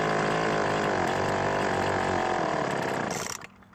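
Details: Craftsman two-stroke leaf blower after ignition coil replacement for no spark, on mixed 2-cycle fuel: steady high buzz at even revs for about three seconds, then cuts off cleanly; running healthy.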